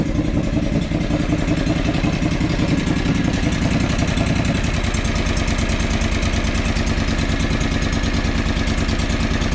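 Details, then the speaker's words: John Deere 445 small twin at rough idle: the beat thins and slows around three seconds in as one cylinder's coil or spark plug wire is pulled. The idle drops sharply in this cylinder drop test. "when i pull the coils or the spark plugs or spark plug wires it's a very different change so let's do that again so it automatically idles right down right"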